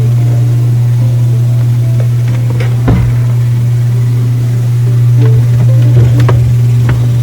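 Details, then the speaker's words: Miele dishwasher with intake/drain light on, during fill cycle: loud machine-gun-like steady low buzz with irregular rattles; inlet valve suspected not opening fully, chattering back and forth. "लेकिन हाँ यह dishwasher सिर्फ भरने के चक्र के दौरान machine gun के शोर की तरह बना रहा है और फिर इनटेक ड्रेन लाइट आती है इसलिए उम वाल्व शायद पूरी तरह से नहीं खुल रहा है"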